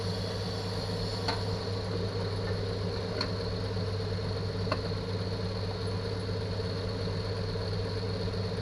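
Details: 1964 Chevy II six-cylinder, sat for years, smokes a little after first revival: steady low, even hum with no knocks or misses, smooth regular idle; normal idle.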